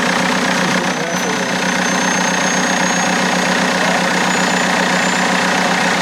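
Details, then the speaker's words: BMW E90 320d cold start just after fitting a new turbo: thin high whistle above the cold diesel idle, creeping slightly higher, sounding like screaming, cause undetermined; smokes but sounds cleaner; high-pitched whine at cold start. "It's cold start, so. It just sounds like I don't know. It sounds like someone screaming."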